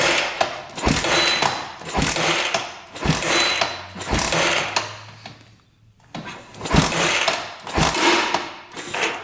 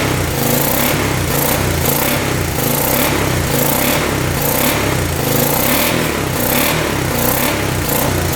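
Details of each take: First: 1986 Honda Fourtrax 350 4x4 ATV, sat neglected for years, kicked over with throttle open during a compression test (125, has a decompression mechanism): a sharp metallic click on every kick over slow compression thumps. Cause unknown. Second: 1986 Honda Fourtrax 350 4x4 ATV, bought after sitting neglected for years, first start with penetrating oil down the cylinder: steady, even single-cylinder beat at constant speed, no ticking or knocking, not smoking. Normal running.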